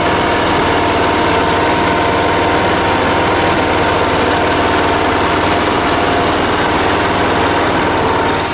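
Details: Late-1980s John Deere RX95 riding mower, after reconnecting the fuel line to the carb: steady, even drone at a constant speed with no misses, surges or knocks; running smoothly.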